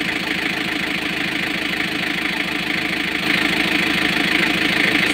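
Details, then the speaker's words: Freshly overhauled Kia KC2700 diesel, previously hard to start with slow cranking; idles with lumpy pulsing beat about three per second, a cylinder still missing at idle; cause suspected, not confirmed. "So meron pa din. Namamalya pa rin siya. Ayan oh. Humihinga-hinga pa din siya no. Meron pa rin oh."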